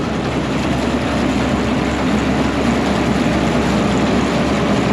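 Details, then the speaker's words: Massey Ferguson 82 combine bought at auction, being revived: separator engaged and running. Even, smooth mechanical whir with a steady low drone and no knocks or rattles; very quiet and healthy. "It's just so quiet. What a deal. I love stuff like this when it works out."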